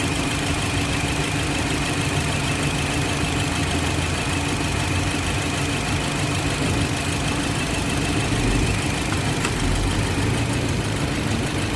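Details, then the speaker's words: 2007 Toyota Yaris petrol engine idling with AC on: an uneven, stumbling low beat with hunting and jerking from a misfire; a faulty ignition coil is checked by unplugging the coils one at a time. "गाड़ी hunting हो रही miss पर हो रही"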